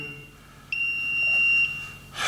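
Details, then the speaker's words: Unpowered smart circuit breaker (smart MCCB/RCBO) tested for output grounding, phase taken from outside for simple grounding: one high steady beep just under a second, breaker limiting leakage to 7 mA and signalling an earth leakage fault. "When I check if simple grounding is working or not, the relay or the smart fuse is limiting it to 7 milliamperes and it's still giving a signal."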